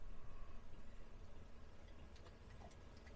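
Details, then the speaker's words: Diesel heater in an ambulance camper conversion, after a year of use including freezing temperatures: faint soft ticks every fraction of a second from the fuel dosing pump while running, quiet and normal. "they don't make a lot of noise the clicking of the pump like it's running right now"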